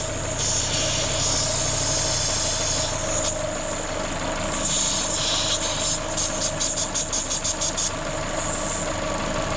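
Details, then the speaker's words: Corsa VXR idling with loud airy hiss on top, a vacuum leak found at the top from a cracked/split cam cover; owner reported bogging on acceleration and engine light on. "And this one's really loud, so oh, I can hear it now. All right. Yeah, that's it. The cam cover's broken or split."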